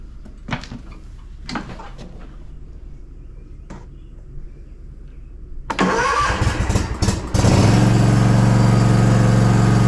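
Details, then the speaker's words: Zero-turn riding mower, bought 2018, after fitting a new battery: a few quiet clicks, then a brief crank and the small engine catches and idles steadily, no longer the machine-gun clicking of the old battery. "the mow no longer sounds like a machine gun but we're not quite out of the woods yet"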